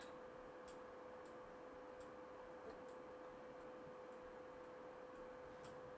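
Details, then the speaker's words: PlayStation 2 disc drive before laser lens cleaning: faint, evenly spaced light ticks over a quiet spinning drive; the disc turns but never reads and the console only shows browser and config, likely a dirty laser lens. "So, we still get um browser and config on the screen. So, it's still not reading it."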